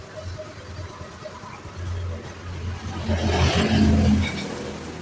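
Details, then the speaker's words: Honda Beat FI (ACG starter) scooter that stuttered (brebet) when pulling away, with a 7-blink indicator code that wasn't the real fault; road test after repair: engine note swells smoothly as throttle opens, no stutter or surging. "Wah, mantap ya. lebih responsif sekarang tarikannya tidak ada yang namanya berbet-bet ya."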